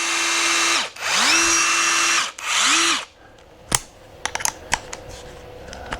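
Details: New KINCROME cordless 1/4-inch-shank driver rated 225 Nm, on speed setting 3, taking a second to ramp up: three short bursts of high motor whir spinning down cleanly. It free-runs normally.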